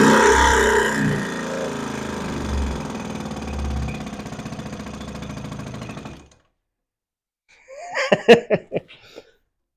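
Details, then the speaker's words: Johnson Seahorse two-stroke outboard after refitting the carburetor, running at no choke and almost full throttle: steady, fairly quiet putter for about six seconds before stopping; normal healthy running. "it sounds great it's actually really quiet"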